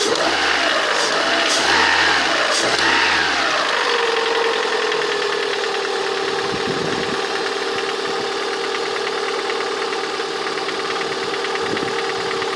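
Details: Lada 21126 engine at steady idle carrying a regular light tapping knock from inside the engine, heard most clearly near the end of the recording; the owner asks what the sound is, cause unknown.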